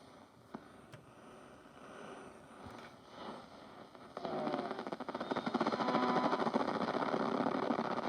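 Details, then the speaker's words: 1980s–90s Roberts RSR50 radio cassette on medium wave: rough hiss with a fast steady buzz about three pulses a second while tuning; AM interference in the workshop suspected. "Might not pick much up in here because of the interference."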